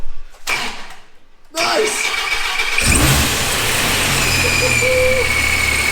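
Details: Dodge Viper, newly installed supercharger, first start-up: cranks and catches cleanly, then strong steady idle with faint blower whine; sounds healthy, running smooth.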